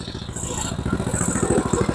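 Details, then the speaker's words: Tecumseh Snow King 7hp 4-stroke engine on an MTD Snow Flite snowblower, after a carburetor rebuild, pulling in reverse: quick, even single-cylinder chuffing with no slipping or grinding. Forward and reverse both work; normal running. "Yeah, reverse is good. Okay, good sign. Good sign. She's a runner."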